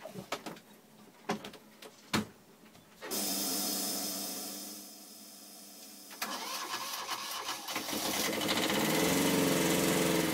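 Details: Universal Atomic diesel (model 5411) in a sailboat, restarted after running out of fuel, lines bled and fuel pump bypassed: clicks and cranking, a catch, then the engine fires and settles into a steady, rising run; starts and runs cleanly.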